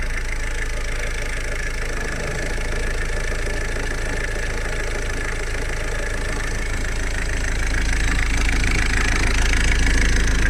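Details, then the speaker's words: Ford Focus Mk3 1.5 TDCi diesel at idle, first start after timing belt and tensioner replacement: steady low clatter with loose rattle underneath; dual-mass flywheel suspected noisy and due for replacement. "przeznaczymy jeszcze tam dwumas wymienić bo on hałasuje"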